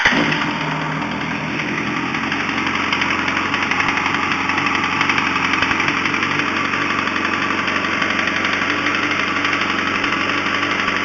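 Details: 2005 Yamaha R1 four-cylinder at steady idle: persistent light tapping knock about four per second over the exhaust; persisted after installing an APE manual cam chain tensioner, owner suspects a spun rod bearing.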